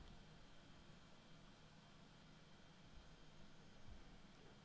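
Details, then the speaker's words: Asus ZenBook Duo 14 laptop under heavy load (OBS recording, network speed test, DaVinci Resolve) while charging, about 73°C, CPU and GPU fans at about 6000 and 7000 RPM: a soft, even rush of fan air with no rattle or scrape, normal behaviour under load. "the CPU and GPU fan speed has shot up to about six thousand and seven thousand RPM this is how a laptop should operate normally when it's under load the CPU and GPU fan should speed up to try to cool down the laptop"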